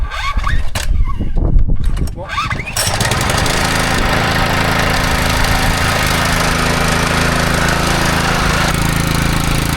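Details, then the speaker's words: Replacement petrol engine on a yard scraper, fixed single speed with no throttle cable, oil checked good, fuel on; catches on the first pull and settles into a steady, even run with no misses, healthy. "It might be such a simple little thing, but to me, after all the crack that this thing has been given, to be able to pull an engine that starts like that, that's awesome."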